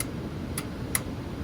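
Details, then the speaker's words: Tempstar unit being converted to a Trane heat pump, with red-wire voltage present and condenser unplugged: three crisp clicks about half a second apart as the relay pulls in normally. "So, see if we hear the relay click."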